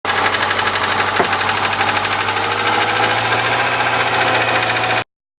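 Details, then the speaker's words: Subaru boxer engine: a loose, uneven knocking about three times a second rides over the idle. It comes from the worn timing belt idler pulley, which has been hitting the metal, not from the engine itself. "владельца subaru кто [ __ ] подгоняется что не стучит мотор это стучит вот эта [ __ ] натяжной ролик"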